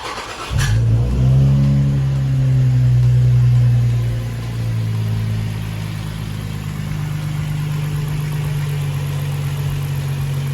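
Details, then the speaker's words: Infiniti G35 Coupe, VQ engine, once warmed to a certain temperature: a low droning hum with a thudding throb that changes when the radiator fan is pushed. A friend suspects worn cooling fan bearings, and a replacement fan is bought. "because the reason that the car was knocking was the actual fan the radiator fan the cooling fan on the radiator apparently the bearings what rj was telling me the bearings went out"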